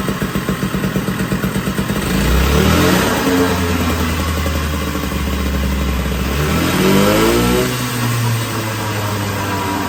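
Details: 1980 Puch Murray moped with a Tomos A35 top end, Mikuni VM18 carb and custom Estoril pipe, on its first start at -7 °C with the engine super cold: pops and blips unevenly, hangs on revs and wanders down; runs but untuned, needs jetting.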